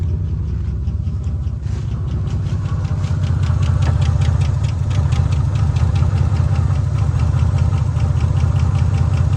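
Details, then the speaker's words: Long-abandoned 1986 Nissan Maxima wagon, 3.0 V6, idling with a serious fuel leak and nearly empty fuel, zero oil pressure shown: uneven lumpy idle with irregular knocking pulses two or three a second; rough idle from fuel starvation. "sitting here idling with a bat with a bad fuel leak a fuel pump in the trash can almost out of gas yeah bat fuel leak that's why it's running so bad"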